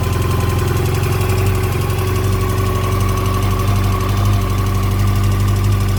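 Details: 2006 Yamaha FJR, 53,000 km: steady idle with an irregular light rattle over the engine note; owner suspects the chain, mechanical noise source unclear.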